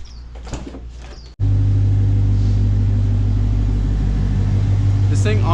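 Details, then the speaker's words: 2016 Ford Mustang GT Coyote V8 Performance Pack fired up after an oil fill with nine quarts during a fix for the Coyote tick: smooth, steady idle with only light, even, normal injector clicking. "runs extremely smooth you know other than the injectors which you can clearly hear that's what you hear the clicking that's the injectors"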